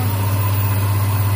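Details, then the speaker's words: Hyundai Accent (Avega/Verna) that would not crank, after replacing the shorted, burnt starter motor: steady even low hum with no knocks or ticks; normal idle, charging 14.6 V. "Ya sok. Nah hidup ya, ternyata dinamo starter. Sip."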